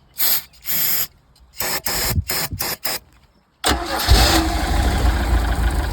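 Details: 1982 Sea Ray boat engine with water hooked up: short cranking bursts without catching, then fires and runs rough on starter spray poured in; no fuel coming through the fuel line.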